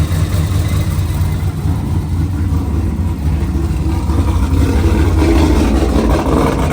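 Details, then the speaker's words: Pontiac G8 V8, first start after an engine rebuild. Deep, steady idle with an even low rumble, no knocks or ticks, loud exhaust; smoke is oil burning off. Normal healthy idle. "Hey, yo, what the fuck? No, God, please, no, no! That's just oil burning off."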